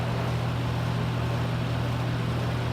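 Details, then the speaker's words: Lakewood T12 twin box fan on high speed, with a replaced switch and one replaced motor: a steady low drone with a rough airy rush and a buzzy hum from vibrations. Fan vibration noise. "sounds as vibrations. I actually had to replace one of the motors in this thing."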